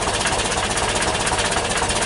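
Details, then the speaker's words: 1977 VW T2 camper, original 2 L twin-carb 60 hp air-cooled engine, not overhauled as far as known, cold start after two weeks sitting. Busy, even rattling beat at an idle slightly low but smooth, expected to pick up once warm; normal cold idle. "idle is a little bit low it will pick up when U when the engine warms up"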